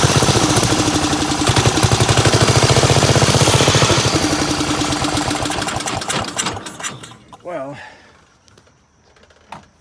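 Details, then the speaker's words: 1975 Gravely 816S tractor engine running unevenly at about four beats a second, then sputtering and dying; carb pouring gas out the back, float suspected stuck, rear carb plug missing, fuel valve being opened and closed to keep it running. "Yeah, it's just puking gas out the back like the float's stuck or something."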